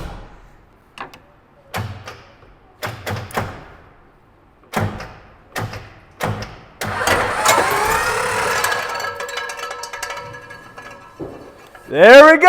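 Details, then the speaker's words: 1990 Ford F350 with a 7.3 IDI diesel, sitting 6 years, after the seized engine came free: slow, uneven cranking bursts with loose flapping slaps between them; old belts still fitted were hitting the fan. "so that noise was these belts they're still on here there's kind of try to move them out of the way or the fan ain't going to hit them"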